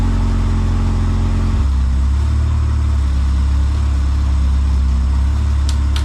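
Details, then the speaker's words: Honda CRX with freshly rebuilt zero-mile B20Z swap, first start, new NGK iridium plugs, no cooling system fitted: steady, even idle just under 1000 rpm, no misses, knocks or ticks over the exhaust note; healthy. "oh damn right away zero mile rebuild b20z wow it sounds good it sounds really good"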